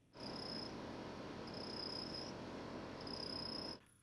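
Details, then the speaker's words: Land Rover Range Rover L322 4.4 TDV8 diesel with the air conditioning switched on: thin, very high chirping squeak coming and going about every second over the fan's airy rush, like a mouse trapped in the AC; something in the ventilation squeaks, cause unknown. "Es como si hubiera un ratón atrapado dentro del aire acondicionado."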